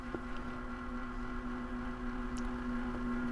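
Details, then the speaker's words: PC just after installing an NVIDIA GeForce RTX 3060, while it is probably checking graphics drivers: steady mid-pitched whir with faint ticks from down in the case, which the owner dislikes; the system still posted. Whirring noise, cause unknown. "Uh-oh. What's that noise all about down here? I don't like that noise."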